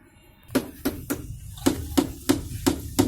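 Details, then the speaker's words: LG Fuzzy Logic 11.0kg T1103TEE3 top-load washing machine running spin, drain fault: sharp tak-tak knocks about three a second over a quiet hum from the drain pump motor, which did not operate; faulty drain motor. "कल हमने आपको दिखाया था drain motor खड़खड़ आवाज़ कर रहा था DA।"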